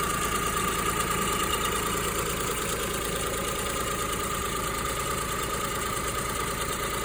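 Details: Kei car that had knocking, poor acceleration and air-bleed trouble, half a year after chemical treatment; owner suspects coolant had entered the cylinder: steady, even idle with faint whine, no knocking or misfire; normal idle.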